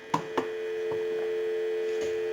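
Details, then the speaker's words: Automatic Electric rotary Monophone telephone during checkout and repair, on a line out with the analyzer bypassed: after a couple of handset clicks, a steady low continuous dial tone holds. The dial tone is clean and the line works normally. "We'll go ahead and give you some dial tone,"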